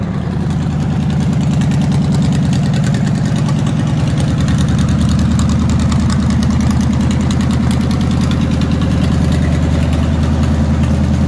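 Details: 1946 International rat rod pickup, Chevy 350 V8 with four-barrel, automatic, electric cooling fans: deep, even lumpy rumble at a steady low beat with no knocks or misses; normal idle.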